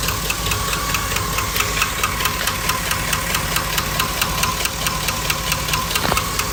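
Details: 2005 Chevy Silverado V8 at idle with a steady, fast light tapping, several per second; owner unsure whether it is rod knock, lifter tick or piston slap.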